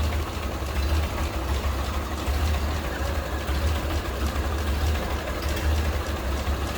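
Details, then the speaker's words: 1930 Ford Model A 5-window coupe, 201 cu in L-head inline four running off an auxiliary fuel tank with half the hood open: deep, steady low rumble with an even beat and no knocks or misses; purring at a normal idle. "There's the L-head inline 4-cylinder, 201 cubic inches. And listen to it, look at it purring right along."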